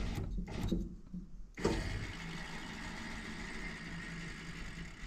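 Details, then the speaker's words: 1969 Pontiac Catalina Wagon power window: a low, steady motor hum starts around 1.6 seconds and runs evenly, but the window does not move. "I don't think it works. Yeah, this window. Oh, yeah. I hear the motor doing something."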